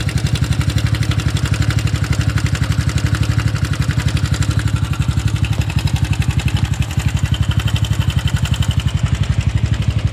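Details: Honda Super Cub 110 (JA44) engine began making a sudden abnormal noise while commuting: idling single with a strong regular thump about three times a second plus ticking on top; owner doesn't know which part failed.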